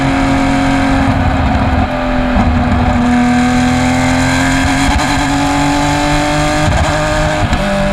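Hard-pulling race engine at high revs with brief stumbles and dropouts in the note, a misfiring cylinder under load.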